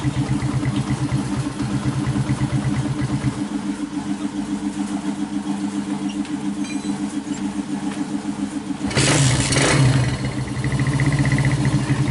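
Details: 1996 Honda GL Max after engine rebuild fixing smoke from worn piston and rings, new larger GL Pro New Tech piston fitted: small single thumping at steady idle, short rev returning smoothly; normal, healthy idle.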